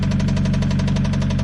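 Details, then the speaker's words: Mitsubishi Evo X 4B11 turbo engine after running low on oil, refilled, at idle: loud sharp knocking about eight raps a second, worse than on arrival despite more oil. "That's quite a big knock compared to when we brought it here, actually, even though there's more oil in it. It's quite a big knock."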